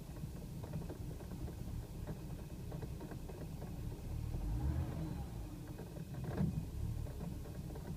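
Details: BMW E90 at idle after 28 miles on Chevron Techron Concentrated Plus: low, uneven idle surging and dipping about every second with occasional stumbles; owner reports tiny idle misfires and coughy 2500–4000 rpm acceleration, symptoms gone after restart, expected to return.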